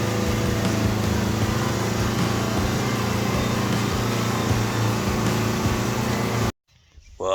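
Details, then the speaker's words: John Deere 70 skid steer, after ignition rewiring with a starter button and fitting used rams: steady low diesel chug with an even beat, no knocks or misses; no leaks, running smoothly. "about time we got her all good she's nothing leaking uh she's ready to work"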